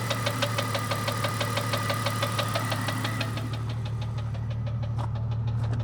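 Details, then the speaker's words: 1998 Jeep Cherokee XJ 4.0L at idle after head removal and lifter replacement, noise appeared overnight: crisp regular tapping about three per second over steady idle, high in the engine; owner says not rod knock or piston slap, cause unknown. "this is what I'm hearing sounds like it's in this area of the [Music] [Music] motor"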